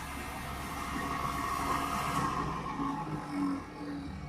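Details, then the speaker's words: 1965 Mustang convertible heater blower, rebalanced with blu-tack weights and refitted in the heater box: smooth steady whir, much quieter, the earlier metallic banging gone; blower runs evenly after balancing. "and as you can hear probably that is a lot quieter and doesn't have that awful metallic banging about it so i'm quite pleased with that"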